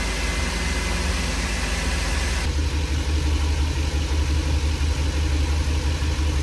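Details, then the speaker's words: Ford 5.4 V8 after rodent-damage repair, new exhaust manifolds, coils and plugs: steady smooth low rumble at even idle, no ticking, misfire stumble or exhaust-leak puffing; idles quietly and healthy. "Everything's looking good. It's nice and quiet."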